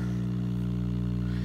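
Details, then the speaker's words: RCA StratoWorld tube radio powered up: steady deep 60-cycle mains hum, constant throughout; filter capacitors failing, set needs recapping. "bad news you hear that hum I think it's safe to say that our filter caps aren't completely shot so this is gonna need recapping"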